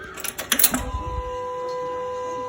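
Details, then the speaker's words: 2018 Kawasaki Vulcan Voyager VN1700 with the air box off and the fuel line routed to a can to drain the tank. A few clicks at key-on, then a steady thin electric hum as the fuel pump primes: normal fuel pump priming. "i'm sure any vehicle with a fuel pump on it uh we'll do the exact thing because you can hear a prime every time soon as you get the key"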